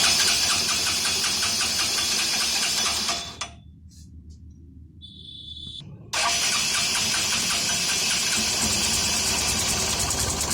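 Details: Hero Honda CBZ Extreme single-cylinder four-stroke after tappet adjustment: even, quick ticking idle with no loud tappet clatter, smoother than before, running steadily.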